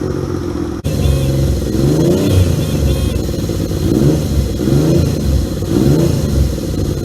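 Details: 1978 Yamaha XS750 Special triple, first run after a three-week revival, kick-started on choke: fires after a click, idles rough-edged, then blips cleanly through several revs; runs healthy and pulls evenly.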